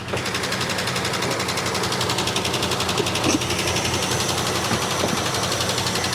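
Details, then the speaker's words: 1967 Barracuda, long-stored: rough idle with an irregular stumble about three times a second over a clattery run, described as sounding like a chaff cutter. The noise is traced to one bank. One or more cylinders are missing. "Sounds like a chaff cutter. >> Yeah. See if I can find out where the noise is coming from."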